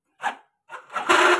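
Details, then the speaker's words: Yamaha Mio GT scooter electric starter: short, harsh rasping grinding bursts with no proper cranking beat, and it is heavy and won't lift the engine; the starter dynamo, its brushes or its housing are suspected. "Suara starter terdengar sangat kasar, terutama di dekat motor"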